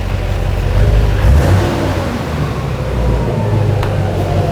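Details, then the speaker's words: Duramax diesel swapped into a Patrol, first start after fitting new injectors: a deep, even rumble that swells as the throttle is blipped, with no misfire or knocking. Normal diesel running. "no catastrophic failures it's running oh like listen to this thing it sounds amazing"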